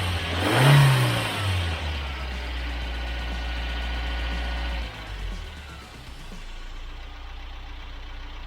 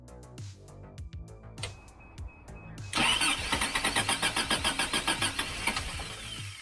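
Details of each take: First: Rebuilt Toyota 22RE with performance camshaft and new rockers, after pushing in backed-out injector connector terminals: revs flare then settle to a steady, even idle, all four injectors and cylinders firing evenly. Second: Freshly rebuilt Toyota 22RE with performance camshaft, first start: slow, uneven three-second crank, then a ragged beat that barely holds; ignition timing off by about a tooth.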